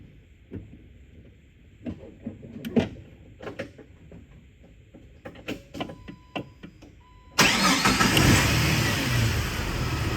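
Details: 2001 Jeep Wrangler TJ Sport, 4.0L inline-six, 5-speed manual, 63k miles, fluids good: scattered clicks, then the engine catches at once and settles into a steady, even idle with no knocks or rattles; runs great.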